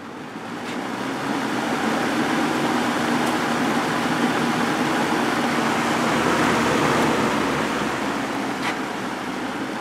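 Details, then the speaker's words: Early-1980s Sears box fan with plastic Marco motor, formerly seized, after cleaning and oiling bearings and wicks, grills refitted; soft, even rush of air with no rattle or buzz. Fan runs smooth and quiet. "again this thing sure is quiet"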